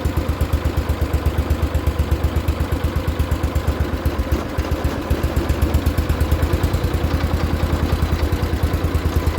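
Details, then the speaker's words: Barn-find 1973 John Deere 140 H3 lawn tractor, sat about 20 years: single-cylinder engine at adjusted idle, even beat about two per second, no hunting or misses; runs normally but battery reads 12.4 V, not charging. "it seems to be a theme with me buying tractors that start and run easily but do not charge the battery."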